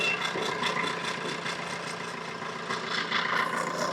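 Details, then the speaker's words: Maruti Suzuki Swift petrol engine idling after AC compressor repair: dry, rasping rattle pulsing about twice a second from a part not fitted properly because its mounting bolt was left out. "ये चीज़ देखिए ठीक से fit नहीं किया है यहाँ पे, देख रहे हैं, ये देखिए आवाज़ कर रहा है।"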